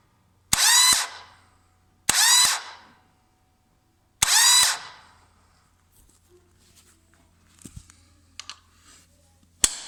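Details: 1998 Yamaha Virago XV1100 with good bendix, new idler gear and fully charged battery: three short harsh half-second bursts of rattling clatter, engine never catches; starter clatter, won't start, cause unknown.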